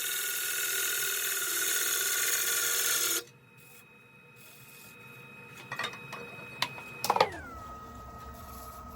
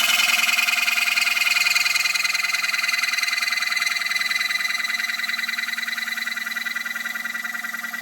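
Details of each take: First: Woodturning a black acacia bowl on the lathe, after adjustments to stop chatter: steady even gouge hiss with no chatter, then the tool lifts off. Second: Turning a black acacia bowl on the lathe, wall still about a quarter inch: a harsh buzzing rattle as the gouge starts to chatter while the wall thins.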